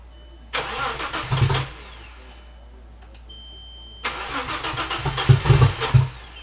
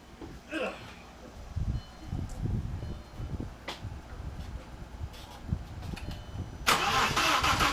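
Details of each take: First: Audi with rebuilt backup engine, first start after swap: starter cranks, engine catches twice, revving about a second each before dropping off; runs only briefly. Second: Audi with a backup engine just reinstalled, battery at 12.4 V, clutch pushed in; starter cranks in uneven bursts without catching, then briefly fires and roars; starting fault, owner suspects low voltage, and a vacuum line was left disconnected.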